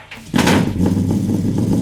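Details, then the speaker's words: 1968 Dodge Charger, an older restoration found and recovered, firing up. The engine catches with a sharp burst and jumps to life, then settles into a strong, even rumble with no knocks or misses: a healthy start. "Man, when that thing fired off, it sounded tough. I mean, it just jumped to life."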